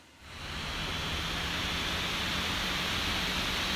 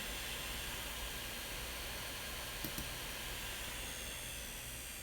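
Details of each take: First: MacBook Pro fan after fixing its buzzing, both fans bumped up, phone microphone laid over the fan: smooth, airy whoosh ramps up then holds even, with no buzz or rattle. The fan sounds healthy, better than before. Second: MacBook Pro, five years old, right fan manually set high then lowered toward 3,800 rpm: airy fan rush with a low grainy buzz that persists; buzz returns after about ten minutes despite speed changes.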